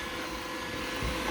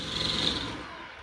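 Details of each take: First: iRobot Roomba with the brush rollers removed after aftermarket rollers caused squeaking: steady, even suction whoosh and faint fan hum with no clicking or rubbing, a normal baseline. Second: Roomba robot vacuum running: high fluttering squeak from recently installed aftermarket brush rollers; removing the rollers silenced it, genuine model-specific rollers needed.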